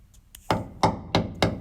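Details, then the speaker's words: 1985 Toyota 4WD pickup frame hammer test, section under the bed replaced with 3/16-inch steel in 2011: four sharp ringing hammer blows; clean metallic ring means a solid frame with no rust-through. "listen that's the good sound of a solid frame"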